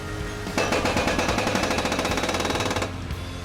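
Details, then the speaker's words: Rig climbing Carnage Canyon, Colorado: fast, steady banging, about four hits a second under load, partly under music; the differential has blown and needs replacing. "you hear that sound folks it's time for a new differential"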